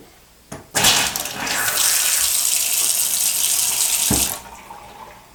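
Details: Washing machine supply tap that suffered loud water hammer from high pressure and the solenoid valve snapping shut, after fitting a top-mount water hammer arrester: water rushes steadily and shuts off cleanly with no bang or shudder.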